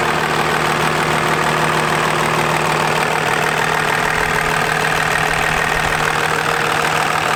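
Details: Diesel truck first start after installing a compound turbo system, new turbo parts lightly smoking; even diesel clatter about three beats a second, steady with no knocks or misses; healthy idle.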